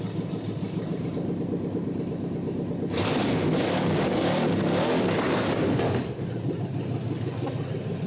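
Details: 1948 Packard, now running after a loose coil hot lead was reconnected, not yet at operating temperature; idles evenly, revs cleanly for three seconds and settles with no misses.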